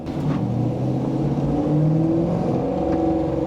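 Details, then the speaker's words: 1986 Pontiac Trans Am with LT swap: deep rough rasp rising with revs and droning under throttle, worse than before; owner suspects the cheap Amazon 4-inch catalytic converter, cause unconfirmed. "oh before it sounded like a fart Cannon now it sounds like a wet fart Cannon probably"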